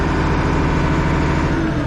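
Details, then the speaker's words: International 1586 tractor diesel with a months-long sticking fuel check valve, now treated with a diesel fuel additive; starts first try and keeps running; steady, even low chug at idle with no misses or knocks; normal diesel idle. "let's turn it on so it started up but we it stay running"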